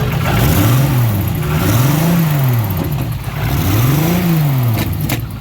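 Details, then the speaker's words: Drift car at the track after coil harness rewiring, with power sent to the wrong wire. The engine is revved in slow swells, running rough with occasional big sharp pops. Misfire; a damaged coil pack is suspected, not confirmed. "sounds like a misfire. That's a big pow."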